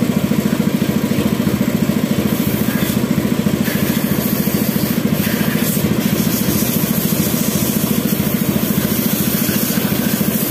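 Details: Yamaha F1ZR after an engine rebuild, lacking power: an even putt-putt idle at about three beats a second that sounds hollow and flat. The cause is weak compression leaking at the spark plug seat of a cracked, previously welded cylinder head.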